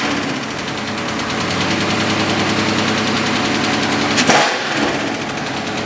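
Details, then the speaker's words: Dodge Scat Pack V8 idling with a loud, sharp, steady tapping knock about four a second; collapsed lifter on cylinder 4, which also had a misfire. "That lifter dropped down, causing all that knock he hears. When the car's on, you hear that knock?"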